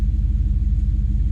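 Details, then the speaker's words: Small-block V8 SUV after tune-up, service and throttle-body cleaning, previously barely running: deep, even rumble with steady firing pulses, no skips or stumbles, best it has ever run, likely first time on all 8 cylinders in ages; normal idle. "This is the best it's ever run. I would say it's the first time it's been running on 8 cylinders in God knows how long."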